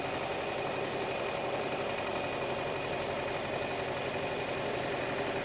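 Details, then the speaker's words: 2018 Hyundai Elantra 2.0L with codes P0017 and P0301, idling during lab-scope cam sensor test: uneven, lumpy idle at about four beats a second, engine shaking; cylinder misfire from failed ignition coil and fouled spark plug. "So, now I'm going to go in the vehicle and start the engine. So, let's see what we got. Okay. So, as you can hear, the engine is shaking like"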